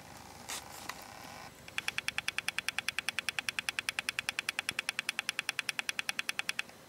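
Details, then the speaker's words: Very old laptop hard drive on a drive adapter, turned over and vibrating: sharp, high-pitched ticks about three per second, very even over a quiet hum; failing drive with heads clicking. "Und was macht sie? Jetzt drehe ich sie mal um. Vibriert richtig."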